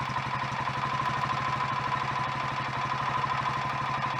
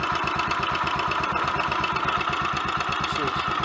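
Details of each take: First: Royal Enfield Electra X first cold start after rebuild with new big end, conrod and piston: steady single-cylinder thump with dry mechanical clatter; sounds better than before, remaining noise suspected from timing gears backlash, not confirmed. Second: Royal Enfield Electra X, completely standard tune, after engine rebuild with new conrod, big end and piston and timing gear noises addressed: quick, even single-cylinder tickover with no misses or stumbles, a healthy slightly fast idle after a test ride.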